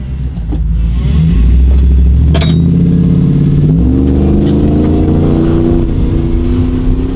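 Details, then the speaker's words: Hemi V8 Jeep idling: tired whine rising and falling with revs over deep V8 rumble from a failing power steering pump, a reconditioned unit only a year old; pump to be replaced. "as you can hear power steering needs to be replaced it's whiny it's tired"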